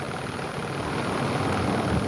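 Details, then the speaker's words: Bosch WAE24364GB washing machine after new motor fitted, running a wash with heater working; smooth, steady low hum with even rumble, no knocks or grinding; motor was the fault, now normal running. "Happy with that. Sounds good."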